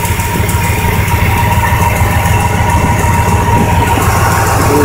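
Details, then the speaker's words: 1999 Dodge Ram 1500 V8 at idle: loose tick about twice a second riding on the idle; suspected exhaust header gasket leak near the header, not confirmed, with oil around it and small silver metal shavings found in the oil. "But from what I'm gathering, it sounds like it's coming from right there from the header seat block."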